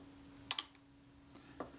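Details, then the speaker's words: Kodak Retina IIIC shutter during servicing, slow speed set after moving gear train inward toward the cam: crisp release click, faint gap, closing snap barely a second later; timing still too quick, closer to 1/15, more adjustment needed. "that sounded more credible it was too quick but we're in the ballpark okay that was probably closer to 15 which is ridiculously quick here"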